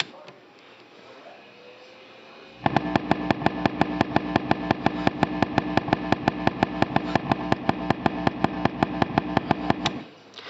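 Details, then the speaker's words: Vox AD50VT guitar amp: a loud, deep, steady pulse of sharp thumps about three per second, unchanged by gain, volume, master and power level settings or with the tube removed. Tapping the rear power control changes its speed; power level pot suspected. "in case this isn't coming through well on the uh video that is a very loud deep um maybe 100 Cycle or so uh frequency pulse"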